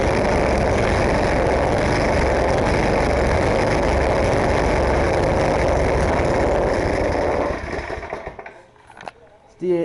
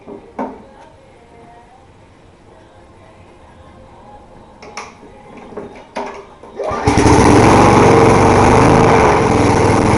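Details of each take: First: 10 hp snowblower engine at full throttle, no choke: loud rapid buzz holds, then stumbles and fades unevenly; sputtering, also stalls on half or full choke at half throttle, cause unknown. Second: Small 3.5 hp lawn mower engine with rotten deck, primed and pull-started: a few pulls and clunks, then catches and holds a steady, even high-speed drone; slow to start but runs properly once going.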